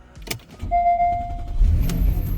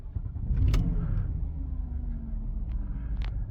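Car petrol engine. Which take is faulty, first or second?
second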